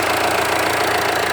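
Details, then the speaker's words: Jeep Compass diesel, 30,000 km, idling at low rpm, heard near the front of the engine: steady low-speed idle with a light, even ticking "tchoc" clatter in time with the engine; normal diesel idle. "E é normal ficar esse barulhinho de tchoc. O diesel tem pouca rotação no painel, o motor trabalha em baixa rotação, isso é normal."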